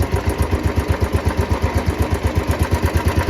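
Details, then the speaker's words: Royal Enfield Bullet 350 single-cylinder idling with correct oil level, before adding Abro oil treatment additive: steady thump with a light, slightly irritating ticking on each beat from the top end; minor noise, nothing serious. "सो आवाज तो कोई बहुत ज्यादा खास नहीं है मतलब ऐसे बहुत ज्यादा नहीं है"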